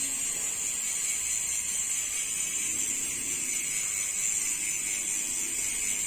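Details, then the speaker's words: Novatec D042SB rear hub after fixing a manufacturing defect that made the freehub catch and make noise: even, fast high-pitched freewheel buzz with no scraping or catching; normal freehub sound. "Aí, pessoal, agora sim, ó. O barulho dele é original."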